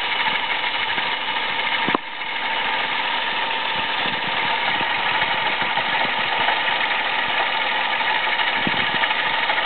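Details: Toyota Aygo at idle with worn-out water pump, noise at first only when cold, not warm, then increasingly frequent: irregular scraping, rattling undertone and a sharp knock near the start. Worn water pump, found by mechanic.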